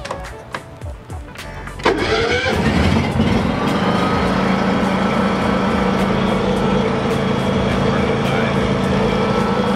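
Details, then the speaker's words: Generator after being reassembled: brief cranking catches quickly, then a steady even engine drone with no knocks or misses; running normally. "No weird noises, nothing but pure bliss. Everything is right with the generator."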